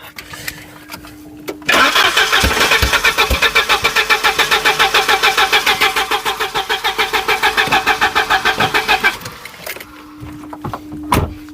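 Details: Volvo 740, unstarted for about 20 years: starter cranks at a steady rapid beat for about seven seconds without firing. Owner suspects a stuck injector flooding a cylinder, as fuel is pouring out the broken exhaust; leak underneath.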